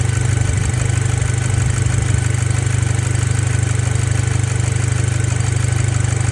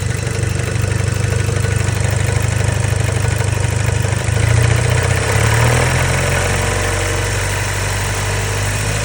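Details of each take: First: Audi B7 A4 2.0T FSI daily driver, after the high-pressure fuel pump cam follower was checked and found fine: steady, even low idle with no knock or tick; the earlier knock seemingly went away, normal idle. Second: Neglected Audi B7 A4 daily driver after a track day, logged over a suspected N75 issue: heavy, somewhat uneven idle with a loose rapping under the exhaust drone; owner fears possible overboost damage such as a bent rod, cause unknown.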